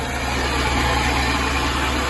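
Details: Sunbeam Alpine Fastback, last run about five years ago, first start on choke in neutral with fresh fuel: loud constant run with slightly uneven, grumbling beat; old petrol then leaked out; rough running, cause unknown.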